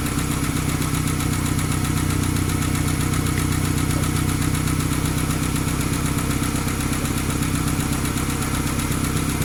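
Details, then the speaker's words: 1995–2001 Ford Ranger 2.5 after timing belt replacement, idling on restart: rapid light ticking about four per second pointing to the valvetrain, much louder than the slight tick it had before the job; cause not confirmed, idle to be raised to check. "because if it had a tick when you started, the tick will be there when you get it started up again. This one had a slight tick, nothing like this."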